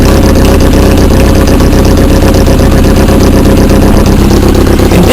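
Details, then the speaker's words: Peugeot 106 1.1 after a head gasket change: lumpy idle stumbling about every third of a second, a misfire, with the downpipe bolts found not yet tightened; cause not confirmed. "I did forget something and I do have a Miss fire"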